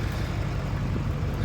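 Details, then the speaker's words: 2014 Chevy 2500 Duramax diesel with EGR delete, no check engine light, valve connector plugged in: uneven, lumpy idle that hunts and stumbles even with throttle, won't accelerate, excessive smoke. "Not wanting to idle. I'm actually giving it fuel. Not really wanting to go that good. And look at all the smoke."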